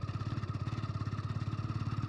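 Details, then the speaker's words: 27-year-old Hero Honda Splendor Plus running E20 ethanol fuel, pulling in fourth gear: even, rapid single-cylinder thumping at about thirteen beats a second with no knock or rattle; healthy under load. "Knocking नहीं आ रही है। ठीक है?"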